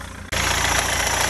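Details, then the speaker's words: Rover 75 TD4 diesel after crank pulley replacement, belts not yet fitted: steady idle with even, unhurried chatter, no knocks or rattles; runs normally. "I kind of wanted to see what it sounds like and make sure it actually sounds decent it does sound okay that does look like he's running normally from what I know anyway"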